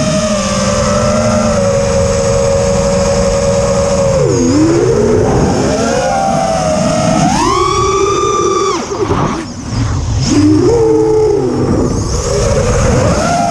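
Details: Quadcopter in flight, TBS Bulletproof 25A ESCs (signal cap removed), DShot 600, Betaflight 2.9 updated to 3.1.0-RC5, untuned with P40 I20 D5. Motor whine rises and falls with throttle, with an odd extra tone riding over it; cause unclear.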